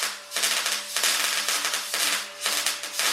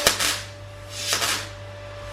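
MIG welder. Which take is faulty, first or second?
second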